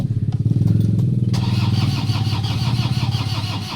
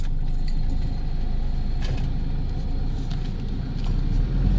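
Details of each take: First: Toyota Hilux with check engine light, no-start: starter churns about three and a half pulses a second with no firing, cranks but won't start. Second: Toyota Hilux 2KD diesel that wouldn't start, computer box suspected, after troubleshooting and repair, revved to about 4,000 RPM: steady deep rumble swelling with revs, no knocks or rattles; healthy, ready for road test.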